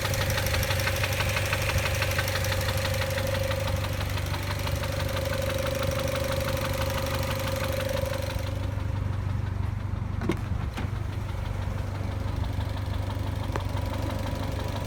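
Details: 2006 Mazda NC Miata at steady idle with a light regular tick about three per second over the low engine hum. Source not pinned down; a VVT actuator noise is suspected.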